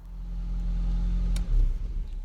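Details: 1.8T Audi TT after a new turbo downpipe and 20 L of fresh fuel: low idle drone stumbles, revs sag and surge unevenly; misfire, fresh fuel did not fix it.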